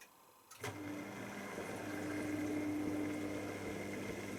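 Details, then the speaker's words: V-ZUG Adora SLQ washer throwing F06/A6 foreign body trap error while filling on rinse; on drain or final spin the motor kicks in and drum speeds up without draining first; owner suspects a pressure switch issue. "So when I go to drain, or put it on final spin, it actually starts going to spin quite quickly."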